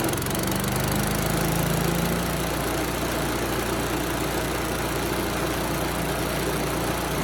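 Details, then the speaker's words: Yard Machines chipper with Tecumseh engine, pulled from trash: started first pull, loud single-cylinder holds a steady even beat at high speed, no misses or surging; normal running. "that thing's loud but it's running well now so no problem started first pull runs at high speed and low speed"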